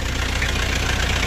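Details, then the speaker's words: Kia K2700 diesel truck at idle and when revved: steady firm idle with even low beat, no metallic tapping, knock or stumbling; sounds like a healthy engine. "là một chiếc xe mà nó không có cái hiện tượng không nghe nghe tiếng máy nó không có tiếng sắt đó cũng như là khi chúng ta ga lên khi chúng ta ga lên thì nó nghe tiếng nó có độ chắc đấy"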